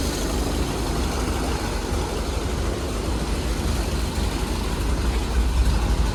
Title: 1932 ford startup , customer states no start issue. We fixed it @ KC Classics!